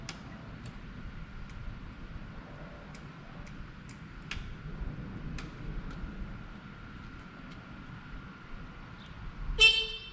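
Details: 1979 Yamaha QT50 moped abandoned about 35 years, with new battery and carburetor fitted: quiet background, then one short clear horn toot, showing the electrics have power and the horn works.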